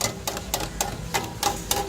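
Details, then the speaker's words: Car on lift, underside struck while checking clicking when turning and over bumps: sharp metallic clatters in bursts about every quarter second; loose, unsecured underbody shield/component rattling. "we're looking for squeaking we're looking for noise rattling noise oh guys y'all hear that they got this Underhill doing this while she hitting the bump or turning look at this"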